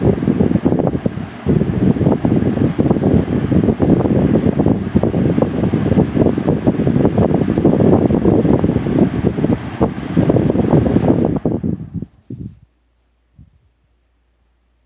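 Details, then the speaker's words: Lasko 3723 box fan, made late 1999 with Marco motor: steady high-speed whoosh, then after switch-off it dies to silence in under a second. Coasts down too fast, suggesting dragging bearings that need oil. "So, yeah, you saw how quickly that came to a stop. This thing is definitely going to need some oil."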